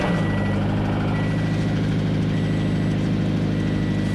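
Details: Scion FR-S petrol engine idling with rough rapid low rod knock under the exhaust note and a repeating warning chime; it had not fixed itself.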